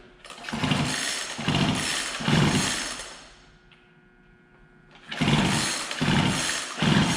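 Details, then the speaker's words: Poulan Pro 42cc two-stroke chainsaw that won't start: slow, uneven pull-cord strokes with compression pulses but no firing. Spark is present; two-stroke fuel has eaten the fuel pickup line inside the tank, so it came off the filter. "What happens is the uh the fuel line um the fuel actually eats away on the fuel line inside the gas tank here."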